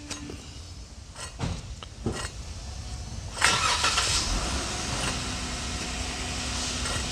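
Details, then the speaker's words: Worn wheel hub bearing, removed with the knuckle off and turned by hand: a few handling clunks, then steady rough gritty rushing, the cause of a roaring noise while driving; replaced with a new press-fit bearing. "That is what's making that roaring noise while you're driving. Okay, now we're gonna fix that. Okay, that's a hub bearing."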